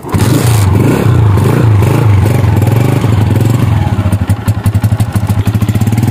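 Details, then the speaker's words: Honda CG125 single-cylinder, cold start: catches on the first kick, a few throttle blips, then even thumping idle; starts cleanly, normal cold start. "एक तो bike सुबह start ही नहीं होते काफ़ी लोगों के, तो अल्हम्दुलिल्लाह इसमें कोई ऐसा मसला नहीं है, बस पहली किक लगाई तो भाई चौक उठा के ना मारी पहली किक, तो पहले में ना हुआ तो दूसरी में लाजमी हो जाते।"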